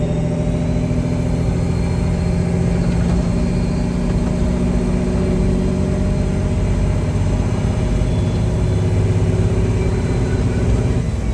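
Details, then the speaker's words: 359 truck with a freshly completed engine and a reworked injection pump, 13-speed, test drive pulling a heavy trailer of roughly 28,000–29,000 lb: deep, smooth diesel drone holding steady under load, no knocks or misses; healthy. "guys I can't believe how good this truck drives I just can't believe it"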